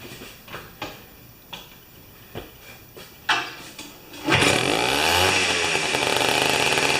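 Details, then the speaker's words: Old two-stroke snow-thrower revived after years, 40:1 mix, mixture adjusted: a few cord pulls, then crisp buzzing two-stroke settling into a steady high idle like a small dirt bike; runs normally. "okay so listen to how the mottar uh will come well we'll do it to the side I guess kind of sounds like a little dirt bike isn't it"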